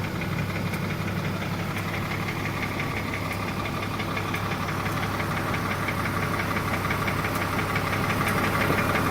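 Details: 2004 BMW 325Ci, M54 engine: steady petrol idle with a light quick tick about three a second from the top of the engine, passenger side; rod knock feared, consensus suspects lifter/carrier noise, nearly gone with 15w50 oil.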